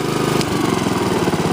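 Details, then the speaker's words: Honda HRX217 mower after repair of the right rear axle support, which was grinding. Small engine ticking over evenly with a steady mid-pitched putter, no knocks or grinding. Normal running. "so it's working great free to go back to the customer now"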